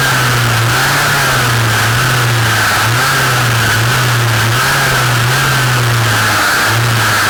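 Two-stroke hums at a slightly wavering speed with a loud, steady mid-pitched whine riding on top; abnormal shaft noise, cause unclear.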